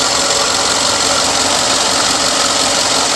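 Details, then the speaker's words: 2011 Ford F150 XLT 5.0 litre V8, 38,510 km: starts quickly and idles steady and even with no knock or miss; seller reports an occasional catalytic converter code. "she starts up real quick well motor sounds like it runs well"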